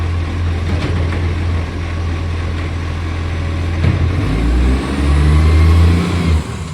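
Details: Millicent Commercial Garbage truck SL01074 diesel: deep idle with a rough, puffing rumble that swells as revs pick up, from a big exhaust leak.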